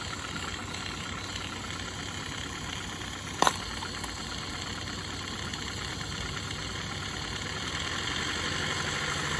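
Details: Accucraft Ruby 5 live-steam model locomotive, owned since 2015, fired up hot at about 20 psi with no track: steady steam hiss over a soft even exhaust beat and one brief clack, no knocks; runs good, normal running.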